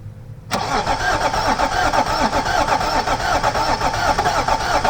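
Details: Range Rover L322 M57 diesel after new glow plugs, an injector, thermostat, crankcase breather, belt and EGR delete, coolant water only: catches instantly, steady idle with even clatter, no misfire or hunting; starts and runs fine.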